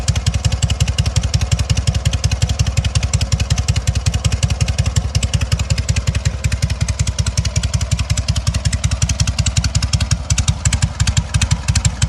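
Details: Sokół 1000 motorcycle after a full rebuild (patina exterior, 12V generator fitted), only briefly prewarmed. Even, strong exhaust pulses at a steady low idle with no knocks or whine; normal idle.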